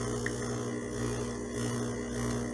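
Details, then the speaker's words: De'Longhi espresso machine pump, preheated, brewing very finely ground illy Classico espresso, lightly tamped: steady low labouring buzz, flow not recovering before half a shot; pump straining to push water through, sometimes dies completely. "we're not even at half of an espresso. That's the pump struggling to get that water through. On certain days, this thing actually just dies, and I have to shut it off."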